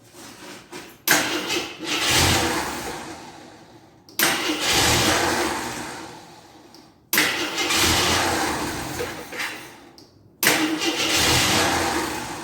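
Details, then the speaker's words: 1983 Jeep Scrambler barn find, sat 4–5 years, gas poured down the carburetor: four cranking attempts, each a brief catch that dies away; no fuel from the pump, owner unsure whether the fuel pump is bad. "know if the F pump's bad or what you think I'd be getting some Fu but no"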